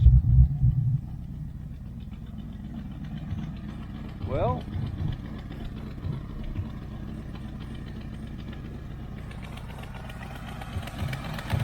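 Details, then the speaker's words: 1980 Camaro Z28 junkyard find, first run: a loose, puffing tick at about four a second over a rough idle; bad exhaust leaks at the header flange gaskets. "So, yeah, he's got some bad exhaust leaks."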